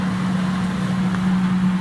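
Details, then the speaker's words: Defy Autodry DTD252 tumble dryer after belt replacement: steady, even motor hum with no slapping, squealing or rubbing as the drum turns again; previously motor ran but drum didn't turn; now running normally. "okay the motor is running and we can see the drum is spinning so everything is working again 100%"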